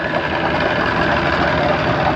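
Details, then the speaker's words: Johnson 115hp outboard on a 1995 OMC bass boat, new fuel line and bulb, throttle and shift cables hooked up, air silencer fitted: idles with dense even hum and steady muffled firing, no knocks or misses, running fine. "They sound different with the airbox on. Well, I guess that's why they call it air silencer."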